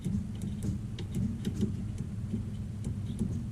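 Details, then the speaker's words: 1975 Chevy C10 fitted with an 1983-87 climate control head unit: over a low idle, sharp clicks as the A/C compressor clutch engages on Max and disengages on vent/heat; normal A/C compressor clutch engagement. "naturally I can hear the AC compressor clutch kicking on when I click this Max one if you hear that that's the AC clutch clicking on"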